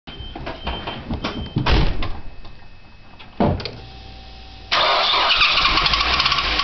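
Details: Nissan Primera: engine cranks and catches with uneven clatter and bangs, then a harsh steady roar at idle with some knocking; owner is asking what the bad noise is, cause unknown.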